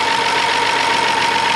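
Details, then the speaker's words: 2011 BMW X5 3.0 twin-turbo N55, 80,000 miles, engine had been seized/locked up; first start after the fix gives an even, steady idle with a constant high tone and no knocks or stumbles, sounding healthy. "i can't believe it's running no way and it sounds good too"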